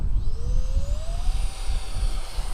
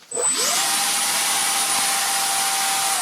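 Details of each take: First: Electric ducted fans of an SU-27 model jet that failed to take off: fan whine rises then levels at a modest pitch under wind rumble, weak thrust; wet clumps of grass pulled from each fan unit had clogged and would harden on the fan blades. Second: SU27 electric ducted fan jet after a failed maiden flight with lack of thrust; fan run after a fan-blade issue was found. A clean, steady high whine holds at full throttle, then spools down smoothly. It sounds completely different from before: a normal, healthy EDF run.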